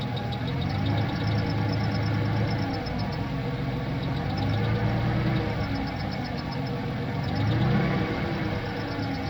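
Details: 1995+ Ford Ranger 3.0 V6 idling: faint quick high-pitched chirp about four times a second from worn cam synchronizer bushings letting the shaft wobble, not belt or pulleys; risk of seizing and destroying oil pump drive; fixed with OEM Motorcraft cam synchronizer.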